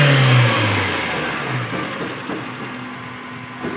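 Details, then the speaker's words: Suzuki Cultus EFI after replacing a noisy adjuster bearing that had made a loud metal-on-metal sound at the front of the engine; a quick rev drops back to a steady, even idle with only light normal engine noise, bearing noise gone. "अब सिर्फ engine का और टपट हल्के फलके आवाज कर रहे हैं बाकी जो पहले आवाज आ रही थी बेरिंग की वो आवाज खत्म हो गई"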